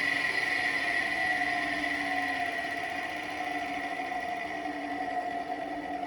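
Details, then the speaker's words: 220 V single-phase electric motor wired with a run capacitor for reversing: it spins away from the viewer to the right with a steady hum and clean mid-pitched whine, no knocks or rubbing; healthy. "Электродвигатель вращается от меня, то есть туда, вправо."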